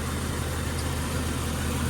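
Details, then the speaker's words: 1999 Jeep XJ 4.0 straight-six petrol after an oil change and an Engine Restore treatment for its tick/knock: steady, even, strong idle with no knocking or lifter tick. "but thank God this thing is running uh very very strong no knocking no lifter tick nothing so awesome thank God"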